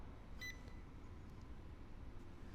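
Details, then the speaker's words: RVMP Flex Temp on-demand tankless RV water heater on 12-volt supply, gas regulator plumbed in: single short clear high beep over quiet room hum as the on-off button powers the unit and remote, a normal power-up. "So now we've got power to the unit. We see our remote unit turn on."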